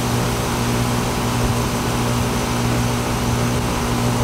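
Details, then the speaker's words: Old R22 central AC outdoor unit after two bad wires (mice damage) were reattached, compressor had not been running: steady low hum with even fan whoosh, no clicks or rattles; compressor running normally, pressures acceptable, possibly slightly low charge. "it's R22 so this these pressures aren't looking crazy bad but let's let it run for a bit"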